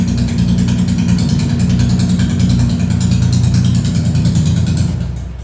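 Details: Honda CB350RS first start after DIY half engine overhaul, muffler not yet fitted and rocker cover bolts left open: loud open-pipe twin idling evenly with a deep steady beat, no knocks or rattles; running healthy.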